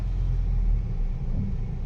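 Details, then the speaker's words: Mitsubishi New Cedia 4G18 with gas system installed three months ago, driving on petrol: deep, even, smooth acceleration with good power, unlike its stumbling, powerless running on gas. "มันดีเลยนะครับวิ่งดีเลยน้ำมันปื๊ดเลยลื่นเลยแรงดีเลย"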